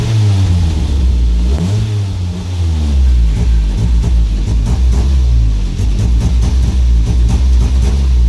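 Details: Car running on petrol (also CNG): engine note lifts briefly then stumbles and sags under throttle, failing to rev, from exposed engine wiring melting from heat; also rough idle, high consumption, backfiring.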